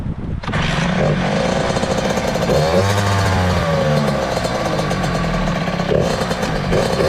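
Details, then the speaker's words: 2003 Kawasaki KX60 two-stroke: buzzy revs climb and flare without settling into a steady pull; the clutch is still adjusted too tight and is slipping. "all right so the clutch is still adjusted a bit much you can hear it's slipping out of gear"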